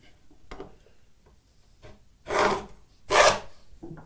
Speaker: it's a little bit too heavy you can hear that loud noise when it's ripping through there that means that it's just digging in i'm just going to back it off a little bit